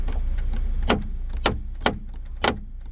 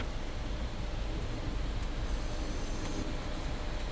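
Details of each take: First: 2017 Kia Sportage EX panoramic roof, rear glass motor, headliner removed, closing the glass: sharp, irregular cracks about every half second over a faint motor hum. Worn motor gear teeth are skipping, and the glass won't close fully. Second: 2017 Kia Sportage EX panoramic roof after replacing the motor, which had skipped gear teeth and not closed fully: low, steady motor hum as the glass slides, with no grinding or clicking; it may need lubrication; normal sunroof operation.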